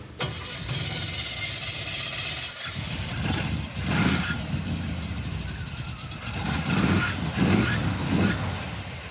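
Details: Chevy Tri-Five V8 with HEI distributor after coil replacement; catches and runs lumpy with irregular pops and stumbles about every second; not fuel, ignition module suspected next; engine misfire.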